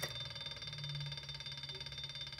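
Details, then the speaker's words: Brushless three-phase washing machine motor on a simple transistor circuit at 30 V, about 0.45 A: a pulsing electronic whine that slows and gets noisier when one coil is disconnected, then kicks back to high speed. "And you can see whenever I disconnect one of the coils, it slows [Music] down. It's a little more noisy."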